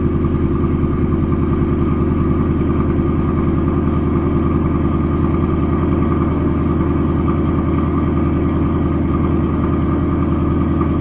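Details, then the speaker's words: Newly installed Ford Coyote V8, car back after repair, first cold start on the second day: even, steady burble with regular firing pulses and no ticks or knocks. Normal cold idle. "it was really good and ourselves fantastic I'm telling ya I don't hear one noise"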